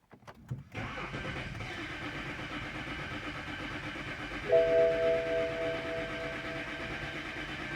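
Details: 2011 BMW X3 with N52 engine, towed in as crank no start: starter spins the engine steadily for several seconds, even grinding that never catches, while injector and fuel pressure are scoped; cranks but won't start.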